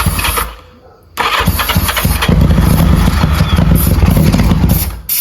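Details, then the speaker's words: 1985 Yamaha XJ700 after an oil flush and new plugs, low on fuel and running on starting fluid: cranking catches into ragged, uneven firing, drops out briefly, then fades again. It fires but won't stay running; cause suspected, not confirmed. "You might have to keep spraying it to keep it alive. There's also not a lot of fuel."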